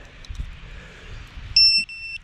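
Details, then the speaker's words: ViFly Finder Mini lost-model buzzer on a lost micro quad, with no main battery connected: a quiet outdoor background, then a loud, shrill, steady half-second beep followed by a slightly softer one. The buzzer alarm is sounding. "ond stage of it you can still hear that thing so let's go see if we can find out where it's at i hear it where is it at man i lost my micro quad guys"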